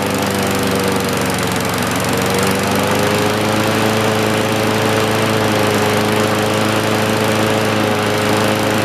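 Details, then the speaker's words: John Deere push mower, believed 1960s–70s (exact year unknown), saved from scrap, first fire-up: small single-cylinder engine holds a steady, even putter at constant speed, no misses, knocks or surging; left running before an oil change. Normal running. "awesome we're gonna let it run for a while then we'll change the soil"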